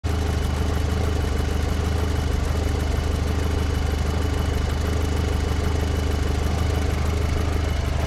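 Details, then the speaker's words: 2006 VW Passat after head gasket job, oil and filter cartridge changed after forgetting the filter, idling about 15 minutes at 200 degrees: smooth even idle, steady low hum, no ticking or chatter; noise solved. "The car has been running in idle for about 15 minutes. No engine chatter. I think it's good. Problem solved."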